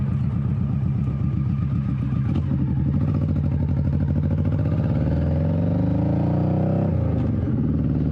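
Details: 21-year-old Honda Shadow V-twin with a new Vance & Hines exhaust and repacked fiberglass baffle, pulling away on its first test run: a deep, even note rising smoothly with revs, less raspy with no rattle. Normal exhaust note.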